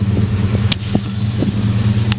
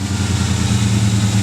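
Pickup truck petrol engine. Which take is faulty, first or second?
second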